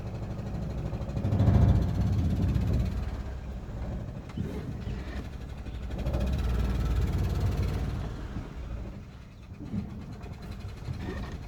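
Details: 2011 Renault Sandero 1.6 with bad idle and power loss, after new MAP sensor and throttle position sensor: low, lumpy idle with uneven swelling and sagging beat; still misfiring, shaking less but power still lacking.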